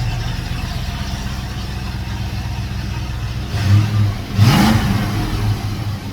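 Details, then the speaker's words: 1992 Mustang GT 306 Foxbody with newly built H-pipe, first start just after midnight: deep, steady V8 burble at idle with light blips, even firing, no ticks; exhaust healthy and much quieter than before. "It's gonna have a whole different sound than it ever had. It's just after midnight. I can't wait to hear how it sounds. I gotta try it. It's definitely way quieter than what it was."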